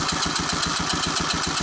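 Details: 1984 Honda ATC 200ES with low compression (30 psi), oil added to the cylinder, throttle slide pulled for a compression test: even starter cranking, steady puffs about eight a second, no firing; compression improved.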